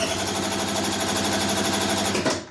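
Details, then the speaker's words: Scooter cranking compression check by ear: quick, even chuff-chuff beat with clear, defined compression strokes rather than one continuous drone; compression sounds healthy. "You can hear clear, defined compression strokes, ba ba ba ba ba ba."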